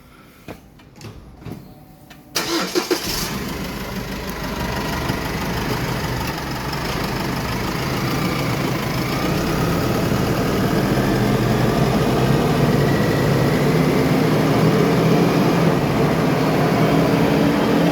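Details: Chevrolet Colorado: after a few clicks the engine starts and a howl rises with wheel speed at about 80; rear differential whine from worn gear teeth and broken pinion bearing.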